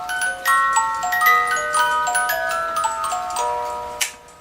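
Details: Regula 25 cuckoo clock movement after repair, hammer adjusted and timed: clear metallic music-box tune starts right after the hour strike and plays evenly to its end; music box works correctly.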